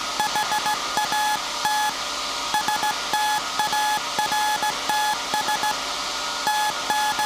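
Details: SAQ Grimeton 1924 Alexanderson alternator VLF transmitter on 17.2 kHz CW, December 1st 2024 centennial transmission; clean mid-pitched tone keyed in dots and dashes at steady pace, normal CW keying.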